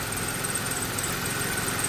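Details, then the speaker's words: 2004 Chevrolet Impala SS, supercharged, warm idle with oil caked on the headers: a steady low drone with a faint high whine; running extremely rich because of a cut oxygen sensor wire. "It is running extremely rich. And that is because uh because of that O2 sensor I mentioned,"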